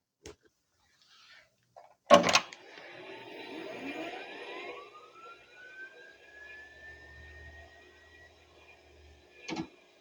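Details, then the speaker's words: IBM PS/1 Model 2011 (1991) restored with new hard disk and IBM PC DOS: power-on click, then a whir climbing in pitch and settling as the drive spins up, final clunk; normal startup. "Well, now let's test turning on the computer! So I'll show it to you turned on, I'll show you the startup phase and then we'll play with it for a moment, let's try some utilities."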